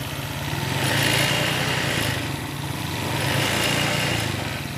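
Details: Old Honda Vario 125 scooter after radiator boiling/coolant-loss repair, idling about 10 minutes, fully hot, no leaks: smooth, steady idle about four beats a second, no misses, knocks or hunting; normal idle.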